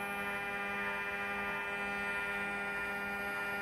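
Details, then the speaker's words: Two throttle units and E-gas module from a 1993 Mercedes 600SEL V12 on a bench test, plates synchronized at idle: steady even electrical buzz at constant pitch, no clicking or chatter; throttle motors holding idle normally. "I mean it'll be fun this is our Idol obviously our buzzing noise"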